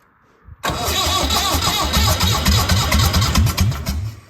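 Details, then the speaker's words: Massey Ferguson 168 diesel tractor, restoration, first start after about two months standing; quick crank, then catches and chugs in regular firing knocks, a bit rough at first before smoothing. Starts fine. "Oh, she wants to go. She wants to There's nothing a couple of months."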